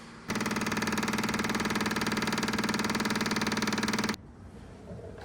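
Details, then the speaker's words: CAT machine after a full service with a fuel filter change: the starter turns the engine over steadily for nearly four seconds but it never catches; no start from air in the fuel line, so the filter is being purged and re-primed. "all right I'm going to loosen the set screw let all this fuel out and hopefully get some of that air out and then I'm going to have my wife crank the key over again and get some more fuel back in this filter"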